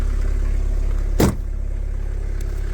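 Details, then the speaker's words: Renault Clio 1.9 diesel, out of a garage after 4 years, now warmed up a bit; steady low diesel idle with an even pulse and one brief bump, no misfire or knock; turning over fine. "that's the model it's a Shippy Shippy 1.9 diesel as you can hear she's turning over fine now now she's warmed up a bit"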